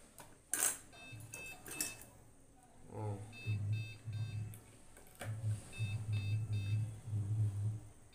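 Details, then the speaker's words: Desktop PC motherboard (ECS H61H2) started with power supply fitted and no RAM installed: repeating groups of short BIOS beeps over a low hum signalling RAM missing, CPU fan running continuously, processor warming. "মানে beep sound আপনারা ওই শুনতে পাচ্ছেন, মানে RAM missing আর কি।"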